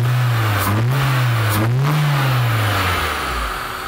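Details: Toyota Corolla AE after a new IACV (idle air control valve) and a part replaced for heat cracking: two quick blips climb and fall back cleanly to a steady idle with no stumble or hesitation. Normal throttle response.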